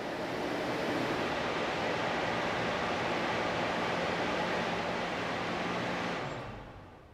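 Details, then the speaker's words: Val-Matic Surge Buster check valve in a lab water flow loop after pump shutdown: steady rushing flow fades smoothly with no bang or thud, silent non-slam closure without water hammer. "there we have silent closure of the Serge Buster check them this test demonstrates the superior non slam characteristics of the Val Matic Serge Buster check valve"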